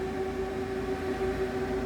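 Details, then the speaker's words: DIY 18650 power bank for an off-grid solar system, first test with all 12 V fans on: steady soft mid-pitched hum, no ticking or rubbing, breeze from all; normal fan operation. "Alright. All the fans are on. And I can definitely feel the breeze coming out of them all."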